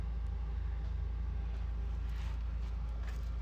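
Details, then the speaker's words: Kawasaki ZX6R during rebuild, oil level good, smoking of unknown cause, later would not restart: steady low idle throb about three beats a second, no knocking or rattling; normal running. "seems to be running good except for its smoking so but let's see if it starts up again"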